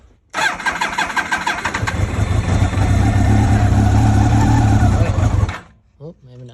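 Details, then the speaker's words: 2000 Yamaha R1 5JJ, sat dirty, on borrowed battery with choke on: starter churns, engine catches roughly, surges unevenly and cuts out; hard cold start, owner suspects carbs need cleaning. "Sure, these carbs need to be clean because she ain't starting."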